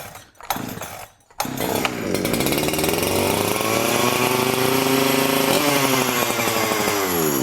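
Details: Huyosen 6524 chainsaw, Husqvarna 365/372 clone, bought used with bad bar studs, fresh gas and bar oil: a few pulls, then fires and revs smoothly in rising sweeps, running clean without misfire; oiler working.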